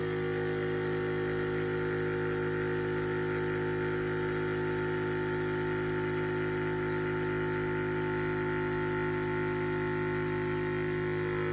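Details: Yong Heng high-pressure compressor, first test, timed run from about 1,000 PSI toward 3,000 PSI: steady even mechanical hum with light pulsing beat about four times a second, no knocks or surges; running normally.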